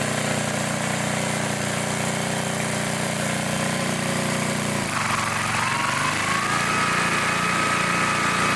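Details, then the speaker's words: 1960s Bolens Lawn Keeper mower, unrestored and carburetor never adjusted, after fitting a new air filter: small single-cylinder thumping steadily at fast idle, then speeding up with a rising whine; runs even and healthy. "this thing is amazing it sounds good it runs good I have not adjusted the carpetrator at all"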